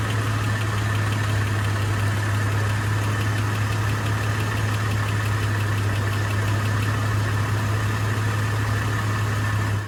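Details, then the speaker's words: 2004 Chevrolet Trailblazer LS with an intermittent ticking that comes and goes: steady low idle drone with a light, fast tick on top. Owner suspects a cracked flex plate, a loose flex plate bolt, or a valve train problem; unconfirmed. "sometimes it runs and sounds just fine and other times it really has a kind of a pretty significant ticking noise"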